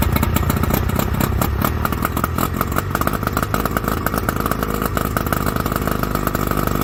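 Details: 1981 Johnson 50 hp two-stroke outboard on a 1981 Prine center console, aftermarket water pump kit fitted, overheat warning reported; crisp, rapid, even rattle with no dropouts, both cylinders firing cleanly: normal running, though the pump is not pumping water.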